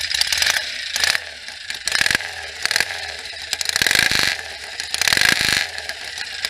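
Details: 1967 BSA A65 Hornet 650 twin after full engine rebuild (new pistons, rings, bores, valves, guides, electronic ignition) following 43 years sitting, first minutes of running, warm day: busy mechanical clatter swelling with throttle, no knocks or misses; normal idle.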